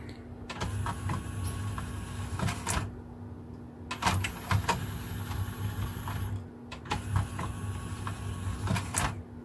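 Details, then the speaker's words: Technics SL-P170 CD player with tray not opening; slow straining whir from tray motor in repeated bursts with clicks when eject pressed, sounding labored; worn loading belt suspected, grease/oil overspray seen near track. "it does sound a bit labored so I'm pretty sure that it's just a belt belt issue"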